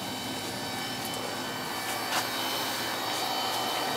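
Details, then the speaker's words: Carlin EZ1 oil burner that had run rough and sputtering: steady even flame roar with no surging or hesitation; burner firing cleanly. "definitely running better [Music] it's not hesitating it's bitter and sputtering and all that"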